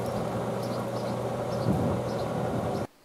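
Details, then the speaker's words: SaluSpa/Bestway Lay-Z-Spa inflatable hot tub pump, which gave an E02 error from a broken impeller shaft, running on a bamboo skewer as a temporary shaft. A loud, steady whirring hum with a rough rattle: noisy but working until the replacement impeller arrives. "well it's a little noisy but it works it'll do until I get my replacement part"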